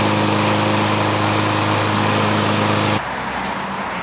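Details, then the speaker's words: Free, about one-year-old 2023 Craftsman M110 140cc 21-inch mower running while being pressure-washed. Steady, even engine drone with no hunting or surging, then pressure-washer spray hiss takes over; running smoothly. "I like to clean clean them while they're running so that's sometimes you know water gets in the exhaust Port the pressure of the motor kicking out the exhaust will keep the water out"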